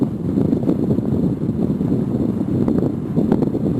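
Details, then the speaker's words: Honeywell tower fan after cleaning and lubrication, now blowing hard at full speed: strong steady rush of air over a soft low rumble; brought back to life from the trash. "Whoa, now it's blowing strong. Now it's blowing pretty good. Oh yeah. Now we're talking here."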